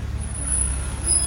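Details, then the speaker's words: BMW car in for a whistling noise check: a thin, steady high-pitched squeal over low vehicle rumble whenever the brake is pressed, a brake problem, likely worn pads. "Contoh macam ni. Bila tekan brek. Ha tu dia bunyi. Ha dia bunyi. Ha bunyi macam tu. Ada masalah brek."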